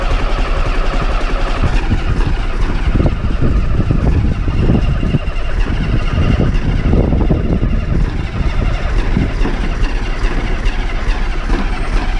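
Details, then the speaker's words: Old bus diesel, cold start after last week's fuel pipe move: cranks and stumbles before catching without easy start, rough and uneven at first as air bleeds out; air getting in at a leaking fuel return, unpriming the pump. "So, that's where air is getting in. So, that will be what needs unpriming the pump."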